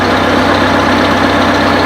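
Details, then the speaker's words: 1955 IH Farmall Cub tractor at idle: steady, even small-engine putter, quiet like a sewing machine, no knocks or misses; charging; normal idle. "It sounds like a sewing machine. She's really quiet, for sure."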